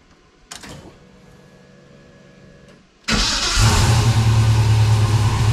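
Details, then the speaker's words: 1969 Camaro V8 idling indoors on first start after its A/C system was replaced and charged, ready to return to the owner. A few clicks, then it fires at once into a strong, even lope with no misfire; normal start and idle. "all right well it's raining outside right now so I'm Not Gonna Take It Outside but but she runs good of course she should"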